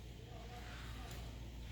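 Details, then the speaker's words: 2013 Mercedes W204 C250 1.8 four-cylinder after replacing idler/tensioner pulleys: steady engine hum, the dentist-drill whine above 2k rpm is gone. "I started up the car whining is gone"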